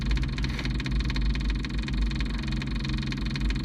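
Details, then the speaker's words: Kubota KX033-4 excavator, ~1000 hours, outdoors around 45°F, started right after fuel filter change, bubbles still clearing: steady low diesel idle, even beat, no hunting; normal idle. "This thing always starts right up after a fuel filter change."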